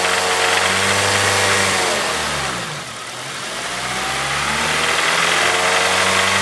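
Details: Honda EP3 with K20A petrol engine: steady rhythmic knock, about three to four a second, as revs dip and recover; cause unknown.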